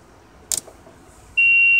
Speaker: only on lower sideband it's only on lower sideband and it's a very distinct tone or i don't know what to call it really a tone a ring uh not sure but it's only on this frequency